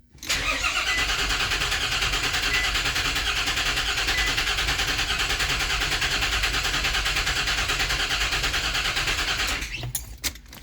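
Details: 2004 Nissan Pathfinder, key already programmed, cranks steadily for about nine seconds without starting while the scan tool shows about 306 rpm cranking speed; immobilizer suspected, no-start cause unconfirmed.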